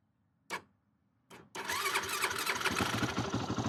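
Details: 2008 Yamaha YFZ450, a pieced-together ATV with the idle turned up and choke on: two short cranking bursts, then it catches and runs ragged, stumbling at idle while the carburetor leaks badly.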